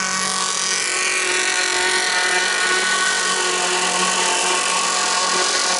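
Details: Two-stroke jet boat, no silencer, impeller swapped: loud buzzy scream holding fairly steady pitch without coming onto the pipe; carburetor needs a tweak, boat slower than hoped.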